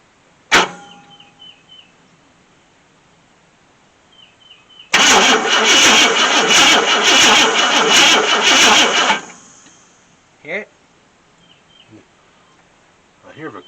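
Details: 1966 Ford Thunderbird, FE 390 engine, first start attempt in 13 years: steady rhythmic cranking about four seconds with even compression pulses but never catches; owner unsure it's getting spark. Crank, no start.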